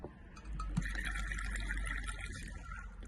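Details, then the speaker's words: Triumph Sprint ST, engine off and not run, fuel forced out of filler cap after refitting tank and adding 5 litres; soft steady hiss and trickling at cap as tank pressurises, fuel rising up vent pipe; breather pipe suspected: fuel tank pressure venting. "Right, so we are not supposed to have fuel coming out of the pillar cap, especially when the vehicle is not being run. So let's have a listen for pressure."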